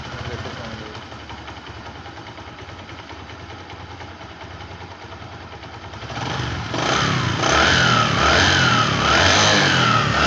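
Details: Bajaj Platina ES motorcycle after oil change, oil pump replacement and engine repair fixing heating and noise issues: steady, even idle, then clean rising revs with no knocks or rattles; engine sounds healthy.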